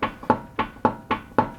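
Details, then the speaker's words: 1999 Honda CR-V on a rack, wheel shaken with hands at three and nine o'clock: really loud sharp metallic clunks, about three and a half a second, from a worn inner tie rod; 12 and 6 check was tight. "you can hear a really loud clunk on this so i know that i need to figure out where that's coming from"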